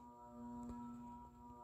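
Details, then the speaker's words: Banvil Enviro Breeze Gold Line 56-inch industrial ceiling fan, cast-iron motor dated May 2018, on a solid-state speed control: loud steady pure-toned buzz over the quiet fan; owner plans a 3- or 4-speed wall control. "ike really listen to that buzzing sound it's really loud like really loud"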